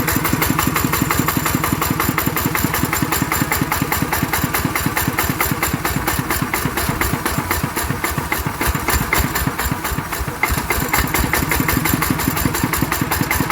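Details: ET110 single-cylinder diesel after rebuild for an abnormal knocking noise, running steady with an even thump at constant speed and no knocks or rattles; judged good, normal running.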